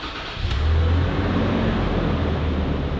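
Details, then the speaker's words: Stock 2016 Toyota 4Runner, first start after Magnuson supercharger install and tune: cranks briefly, catches cleanly and settles into a smooth, even idle with no misses or rattles. "That sounded pretty good. Okay, let's take a look up front. So it sounds good. I don't know what I'm listening for, but it sounds good."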